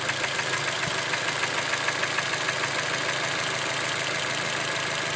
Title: Knocking sound from motor